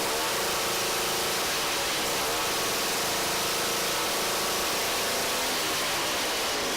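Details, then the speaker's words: Two-stroke ice auger after carburetor cleaning and mixture adjustment: the buzz climbs and drops cleanly as the throttle is blipped, revving up quickly without bogging; runs normally, idle still to be adjusted. "it's supposed to rev up like that that's what I like alright so it sounds like it runs pretty good there"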